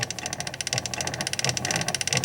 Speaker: Broken spring. One of the two main springs is definitely broken.